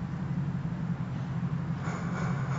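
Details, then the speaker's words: Backpacking stove with inoperative pump run on white gas (Coleman fuel), started with alcohol and syringe pressure: steady low roar, then brighter hiss builds as the burner takes off. Normal burner roar. "okay you can already hear the burner taking off"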